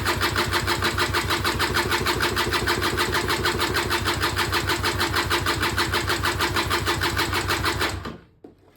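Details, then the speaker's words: Auction-bought Peugeot Speedfight 2 100cc two-stroke scooter, long unused, spark confirmed, carb possibly not yet full: steady even cranking about three beats a second for eight seconds, never fires, then stops; cranks but won't start, cause unknown. "No, nothing again. So in the interest of the video, I'm just going to have a little play around, see what we can figure out, and hopefully we will get it to fire into life at some point soon."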